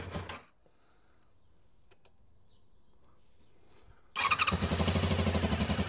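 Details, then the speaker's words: Honda VFR400 motorbike first start on a boost pack after stripping and cleaning blocked carburettors, before balancing: after a quiet spell it fires into a lumpy, pulsing tickover; uneven idle, unbalanced carbs suspected. "It'll probably run like an absolute bag of spanners until we've balanced the carbs, but hey, as long as it runs, that's what we care about."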